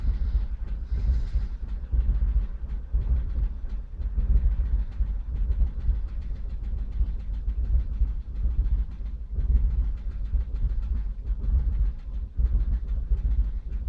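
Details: 2002 Vauxhall Corsa C 1.0 petrol: deep, lumpy idle with uneven thumps and surges; misfire since recent oil change, codes P0300, P0301, P0302; plugs and coil pack replaced; garage suggests ECU, cause unconfirmed.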